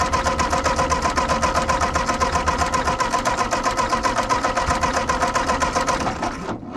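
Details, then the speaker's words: Ford 8N tractor after carburettor mixture screws were set to one and one-and-a-half turns out, cranked on a jumper pack: the starter churns at about four even strokes a second for six seconds with no catch; the owner suspects spark is lost while cranking. "still not getting anything leaking a little bit out of that line got a little pop out of it not sure why it's not going now try adjusting this let do a half a turn I don't know if we're losing spark when I'm cranking or what"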